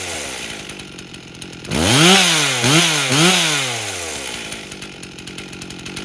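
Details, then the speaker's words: Rebuilt 1998 Stihl 044 Magnum chainsaw with 25-inch bar after carb tuning (high around 13,600-13,700 rpm, low about 2700); three clean blips with light burble at full throttle, normal high-end four-stroking. "as I was throttling it up it was four stroking on the high end which is what we want to see"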